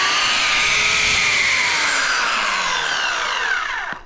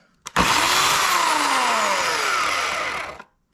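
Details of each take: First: Replacement Oregon CS1500 120V electric chainsaw sent after the original's oiler pump gear stopped turning. High, steady motor whine that holds even, then falls smoothly as it coasts down; it runs fine. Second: Oregon CS1500 120V electric chainsaw, about four years of log bucking, started grinding suddenly mid-cut: it winds down from a high whine with a falling tone and rough grating as the motor stops; owner suspects a worn or misaligned bearing.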